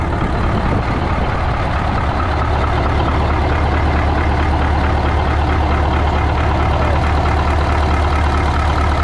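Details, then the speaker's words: 1980 Peterbilt 359 with a Caterpillar 3408 diesel, first start after sitting for years; deep, steady idle with an even beat and no knocks, rattles or stumbles, showing 80 psi oil pressure; engine sounds healthy. "Dude, that thing sounds good. No shit. Dude, it's got 80 pounds of oil pressure. Golly. Oh, that's awesome. She runs like a Wow. freaking top."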